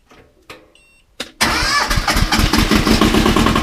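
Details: 1978 Bolens diesel tractor, cold at about 32°F, glow plugs run 15 s, cranked off KeenPower super capacitor jump starter alone: a few clicks, then catches at once and settles to steady even clatter; healthy cold start.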